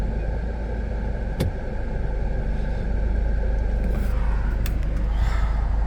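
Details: Honda Accord G8 2.4 on E95 gasohol, stock wheels and exhaust, after ECU remap, in gear: steady low even rumble at raised idle speed versus factory, no knocks or misses, to cure shaking; normal idle.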